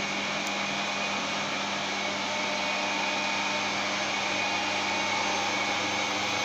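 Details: 15 kW electric motor used as single-phase-fed rotary phase converter running a lathe, drawing 4.6-4.7 A from supply: smooth even hum, steady low tone, airy fan rush, no rumble or knocking; normal running.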